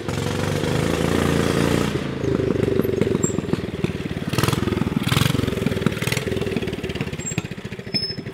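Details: Subaru Robin 9hp Yerf Dog go-kart with a new 26mm Mikuni carburetor, warming up: it runs smooth, then turns ragged with popping and stumbling when revved, acting lean. Fix: reposition the needle e-clip for extra fuel. Lean running sputter.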